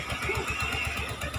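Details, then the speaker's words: Suzuki Gixxer 150 single idling after cylinder head replacement (stripped rocker arm bolt thread): quick even pulsing, no misses, knocks or rattles, only a slight exhaust leak at the exhaust stud; normal idle. "So, mga ganitong motor kasi tahimik na rin. Tahimik naman to eh."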